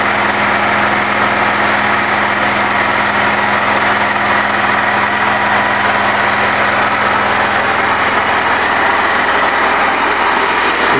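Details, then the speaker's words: Wood-gas-fuelled generator engine (newly fitted, 240V AC) running under load at night, powering the fuel processor and shed; steady even drone, no knocks or misses; normal running under load. "I don't know if you can hear my voice over all this noise so this activity that presents a typical night running electricity from the wood gas system running the fuel processor"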